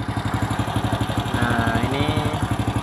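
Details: Single-cylinder motorcycle idling after battery service (the battery water was nearly empty and it would not start; cleaned, recharged). It now starts on the electric starter: even, steady thump about four times a second, no knocks or rattles; healthy idle.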